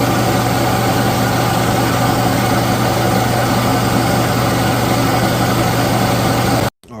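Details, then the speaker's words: Used air compressor, just bought and cleaned, with a new filter fitted and an oil change still pending, on a test run: a loud, steady motor drone with a firm low hum holding even until it cuts off. Normal running. "All right, as you can see, it's up and running. I got it going."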